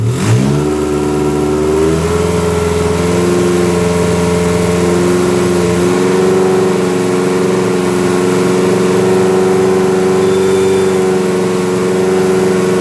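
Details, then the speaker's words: Dodge Daytona stock car with a cobbled-together engine, running a canned-tune computer with EGR/EVAP deleted, more timing and an aggressive fuel map. It fires and climbs to a strong, steady rev with a deep, even note and some pop. Normal running. "It's just a canned tune, I think that's what they call it, but I mean, you can hear it, it's got some pop."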